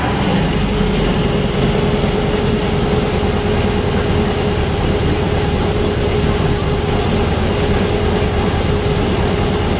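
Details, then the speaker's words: VW air-cooled 1600cc turbo (T3) dune buggy with DIY fuel injection, no high-idle air valve, after cold start on rich cold enrichment, now somewhat warmed up; loud, steady idle, even low rumble, no misses, settling as it warms; normal cold idle. "and there you have it it's kind of warmed up the tap now and"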